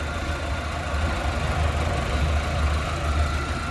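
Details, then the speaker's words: Maruti Eeco engine after a complete rebuild, run for one to two hours: a steady, low, even idle with no misses or hunting, and faint, clean injector ticks. Normal idle. "ગાડીમાં જોઈ જો કોઈ જાતની હેન્ટિંગ નથી કહેવાય ને નામનું હેન્ટિંગ નથી."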